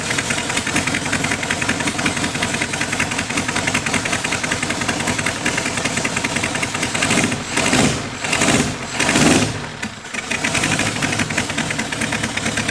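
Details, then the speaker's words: Small four-cylinder rat-rod engine just after head work with new valve springs, running with crisp, distinct firing pulses and a couple of quick revs; individual cylinder firing now more audible, smooth and healthy. Normal running. "How does it sound so different? Okay. Like what? You can hear like the individual fire better now. Yeah. Sounds awesome, man."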